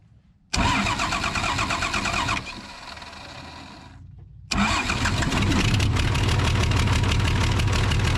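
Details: Case 855D loader, 12-valve 5.9L Cummins diesel with a misfire, loss of power and overheating from a bad injector: starts and settles into a rough, uneven lumpy idle while injector lines are cracked open cylinder by cylinder.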